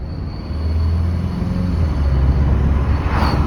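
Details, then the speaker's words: Mk7.5 Volkswagen GTI, 6 years and 72k miles, cruising off the brake: thin, steady high-pitched screech over road rumble on every drive, first suspected front left; cause was a seizing driver side rear caliper dragging. "And ultimately, it ended up being the driver side rear caliper. It was seizing up. And with that noise, it all makes sense."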